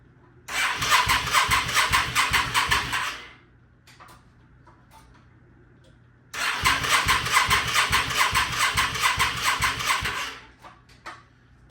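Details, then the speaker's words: 1998 Yamaha V Star 650, non-runner, holding fuel pressure, on some choke: engine catches and runs with a fast, even, healthy beat for a second or two, then dies, twice; owner suspects it needs a carb clean. Starts then stalls. "for the one second or so that it ran it sounded pretty healthy"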